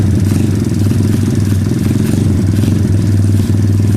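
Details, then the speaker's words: 2013 SSR 110cc full-manual single-cylinder pit bike, freshly valve-adjusted: it holds a fast, even idle without dropping back. The idle hangs high because the wrong throttle cable is fitted and sticks, and the exhaust smokes rich. "it still has a sticky throttle the cable is not the correct cable for it so we'll have to get a new one so it has deals hang up you'll notice the kind of high idles but other than that it's okay"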